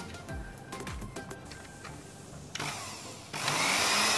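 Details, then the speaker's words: Cosmos blender that died mid-juicing, after bypassing the non-contacting switch with an insulated jumper: motor spins up to a steady high whir and holds evenly, running properly. "Oke, sudah bisa. Ternyata di switch ya, switchnya ini tidak ngontak ya, jadi dia tidak bisa on."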